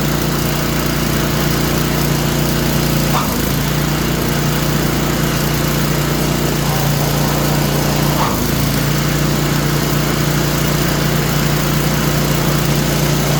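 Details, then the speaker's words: Craftsman snowblower just fitted with a new belt, owner reported a squeak, started on choke: loud steady engine drone with a rough, slightly uneven beat and a couple of clunks; suspected bearing noise, not confirmed. "What's going on? What's going on? Sound like a bearing. Sounds like a bearing."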